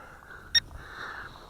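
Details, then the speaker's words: Syma X5SW FPV quadcopter in flight: single sharp high electronic beep over the quiet rotor whir, a low-battery warning; uncharged weak batteries also blamed for video dropouts. "But then again, my batteries are weak. That's the problem."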